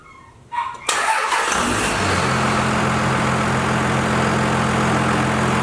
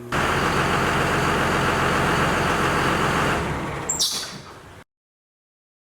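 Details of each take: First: Cummins diesel truck first start-up after belt-drive work to cure an annoying squeak: cranks, catches and settles into a steady, even idle with no squeal or chirp; squeaking noise gone, sounds healthy. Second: Second-gen Cummins diesel truck before fitting a Gates heavy-duty belt: steady diesel clatter dies away, then brief high chirps as engine winds down; serpentine belt squeak at engine shutdown.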